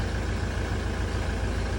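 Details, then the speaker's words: Mk6 Ford Transit 2.4 diesel, first cold start of the morning after fixing a long-crank starting fault traced to a lead: steady idle with a faint constant whirr; a worn bearing. "and it starts other than an annoying bearing gone on one of the"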